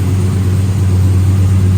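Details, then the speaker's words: Chevy truck V8 with a newly installed 4L60E, FTI 3200 stall converter and NP149 transfer case, cold start after sitting a few days: smooth rumble at raised idle with a light rev blip, even firing, no knocks or exhaust leaks. "Man, I really love how this thing sounds. Right now it's a cold start, so yeah, it's going to be revved up or whatever because it has been running in a few days."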